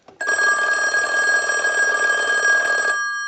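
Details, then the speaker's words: 2500 desk telephone on initial checkout, ring cycle sent from a telephone analyzer like an incoming call: clean, rapid double-gong bell rings steadily about three seconds in a quiet background; bell and ring circuit work properly. "now what we can do is use the analyzer and send a ring cycle like you were getting a call so we'll start that"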